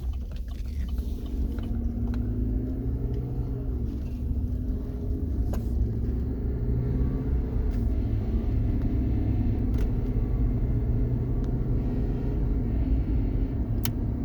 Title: whining noise coming from under carriage of a 2016 Chevy Silverado.